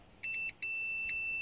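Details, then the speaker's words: Toyota MR2 with start-then-stall problem, multimeter continuity check on the AM2 fuse: short high beeps then a long steady tone as probes touch; fuse is good. "So we'll put it on continuity. And we want to make a beep so you can hear what's going on."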